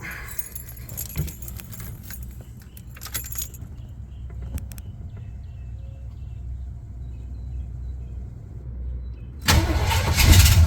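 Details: 1979 Jeep Cherokee Chief after a frame-off restoration, with a rebuilt AMC 360 V8 and Holley 2300 EFI fuel injection. Keys jingle in a quiet cab, then the engine fires instantly and settles into a strong, even run; it starts right up and runs smooth.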